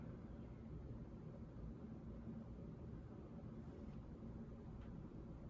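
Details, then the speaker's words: Hunter 1896 Art Nouveau Medalist 52-inch ceiling fan, made April 2004, 15-degree blade pitch, on medium speed: soft even low hum with steady airy rush, no ticking or grinding; normal running. "here's your medium speed very nice difference between all the speeds in this band too medium is a little fast for me but still i think it's a it's a good speed for it"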